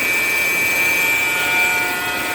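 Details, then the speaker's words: Alternator whine at idle: a steady, high-pitched buzzing whine at one pitch from the alternator on the serpentine (fan) belt, over the idling engine. "Okay, so that buzzing sound is my alternator, and it's the part that's hooked onto the fan belt."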